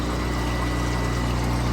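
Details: Everclean centrifugal oil filter with its pump on a Highland Park 18-inch lapidary slab saw: steady low pump drone with an even liquid swish, no surging, rattle or bearing whine; filter spinning normally.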